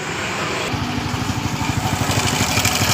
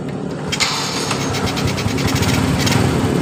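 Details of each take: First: Honda Grand motorcycle engine running with a light, even ticking about three times a second from the left side of the engine. The cam chain was found very loose: cam chain ticking. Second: Honda Grand motorcycle that ticked after an oil drain, now after pumping oil into the cam chain tensioner through the left case: smooth, even idle with a steady low beat and no top-end ticking. The cam chain noise is gone.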